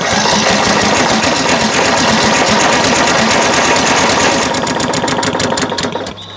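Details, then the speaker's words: Craftsman LT1000 riding mower, crank no-start, choked with carb cleaner sprayed in: fires briefly with fast uneven clatter then dies; owner suspects the carburetor fuel solenoid isn't getting power. "it really sounds like it wants to run i don't know if you heard that but it did fire very briefly"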